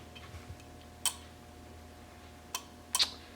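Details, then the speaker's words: 1966 Triumph Spitfire MK2 horn relay (aftermarket part) in a quiet room: four sharp, irregular clicks, switching only intermittently; owner suspects a loose terminal with poor contact, not confirmed. "it should click I should hear it clicking at summer its clicking now why wasn't you clicking before okay not clicking again"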